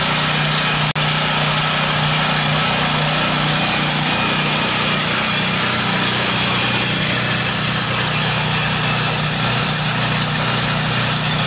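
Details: Homelite 5000 generator with a Subaru engine, restarted after sitting unused for 8 months: constant, even drone holding speed with no misfires, surging or rattles; runs normally.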